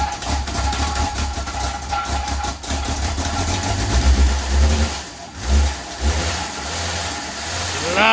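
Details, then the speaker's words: 1995 Jeep Wrangler YJ, first start in years after a bad fuel pump and rotten gasoline, high-flow Flowmaster-style muffler: catches and settles into a steady, even idle with firm throttle blips, no knocks or misses; normal start and rev. "yeah give it hell oh listen to that smoothness"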